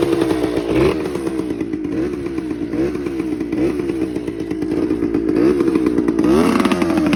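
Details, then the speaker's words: TC125 two-stroke dirt bike after a carb clean, a new fuel line with filter, and a switched spark plug: a crisp ringing buzz revs up and settles back, picking up cleanly each time. Healthy, responsive running. "Pretty sure that's all she needed was a good old carb clean. She runs like a dream now."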